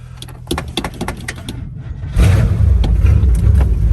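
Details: 1955 Chevy Bel Air barn find, factory 265 V8 with 4-barrel power pack intake, started on booster cables: a few clicks, then catches and settles into a steady, even low rumble with no misses; holds idle, healthy.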